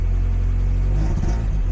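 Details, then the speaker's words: 1990 Mazda Miata with homemade intake, set up for the injectors with quick, untuned fuelling and no wideband, cold start: deep, uneven, loping rumble; rough cold idle, owner suspects it needs cold-start enrichment or proper tuning. "sounds like a Subaru oh okay doesn't sound like a Subaru all right so now that it's surprisingly running okay so that either needs cold starter enrichment or an actual"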